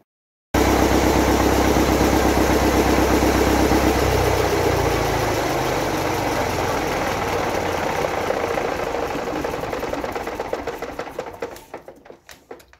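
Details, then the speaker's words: Gardner 4LW diesel after cracked-head repair (coolant was entering oil), fuel system primed; steady even idle, no knocks, rockers oiling, no smoke at heads, exhaust smoke clearing, long slow coast-down on heavy flywheel; normal idle. "you can see the rockers are oiling as they should be everything's fine there's no smoke at the heads"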